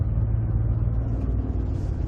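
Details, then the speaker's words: 2007-2020 Ford F-150 with 6R75/6R80 6-speed automatic, torque converter clutch engaged, light throttle creeping up in speed: low rough drumming like rolling over rumble strips, converter slipping and vibrating; torque converter shudder. "That shudder. So again, this is an extreme example. You hear it's like, it sounds like we're going over rumble strips."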